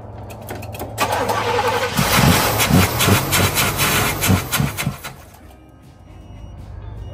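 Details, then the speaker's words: 1967 Cadillac Coupe Deville, 40k-mile original survivor, long-sitting, cranked on a jump pack: starter churns evenly about three beats a second but engine never fires; suspected not getting fuel, mechanical pump, after sitting so long. "yeah so it's it's not getting fuel is the deal yeah she's probably been sitting for so long right"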